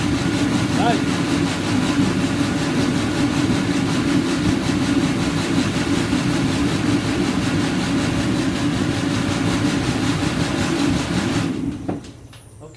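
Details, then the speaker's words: Master kerosene space heater after cleaning the fuel nozzle and setting correct pump pressure, tested with top cover off: steady, even roar with constant low hum for about eleven seconds, no sputter or surging, then shuts down; burner running clean. "that sounded really good so uh it generally they'll run a little bit differently with the top on here because the the way this air is uh going through here"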